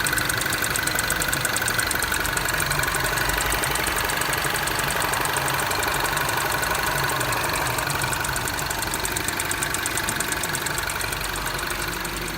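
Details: Mini R56 knock only when cold: steady fast ticking knock, about four a second, at cold idle; comes on at idle or under throttle, goes away with no throttle input (decelerating or coasting in gear); source unknown.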